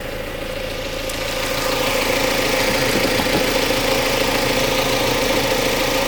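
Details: Mazda MX5 Mk3 petrol engine running: steady mid-pitched hum with a fairly regular light rattle about three a second; owner seeking diagnosis.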